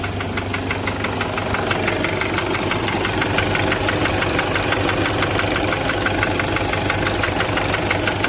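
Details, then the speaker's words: Toyota 1KZ-TE diesel idling with a steady tuk-tuk knock about three per second over the clatter; piston loose and slapping in a raised, displaced cylinder liner. "вот смотрим поршень сейчас просто porsche смотрим то есть у нас тук-тук слышно было хорошо стучит то есть вот здесь вот болтается"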